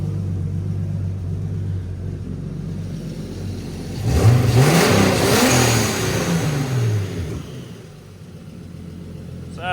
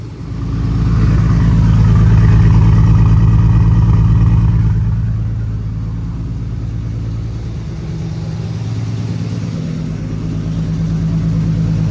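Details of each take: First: 1990 BMW 318i touring with turbocharged S52 inline-six, after fuel pump swap and freeing seized injectors (number three stuck): even idle picking up cleanly into smooth rev; all six cylinders now firing normally. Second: 1990 BMW 318i E30 touring with S52 turbo swap, after fuel pump replacement and freeing seized injectors; uneven, lumpy idle with one cylinder dropping out, unclear if running on six or five, number three injector sticking hard before freeing.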